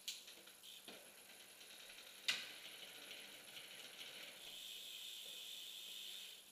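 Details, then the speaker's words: Bicycle rear derailleur, shifting back and forth between 8th and 9th gear while backing off the high limit screw: sharp chain clicks and light rattle as chain hesitates between cogs; derailleur hesitating between gears. "again rock it back and forth from 8 to 9th still having a little bit of trouble back it off just a little bit more"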